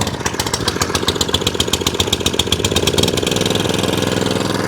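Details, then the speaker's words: Atco Balmoral 17sk mower after fuel tap replacement, stone cold and first start in about three days, on choke: quick regular pops, then the engine picks up into a steady run, later holding full revs and idle without hunting or surging. "so that's off choke full revs no hunting no surging straight down to idle no hunting no surging back on the full revs"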